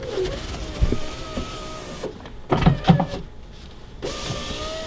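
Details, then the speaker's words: Power window on a junkyard BMW E34 being built with a Mopar 440: the motor whines steadily, then drops out with a few dull clunks. The glass moves but slowly and laboured, so it works but needs greasing before it breaks. "Okay, so we got a window that works. That one needs to be greased before it breaks."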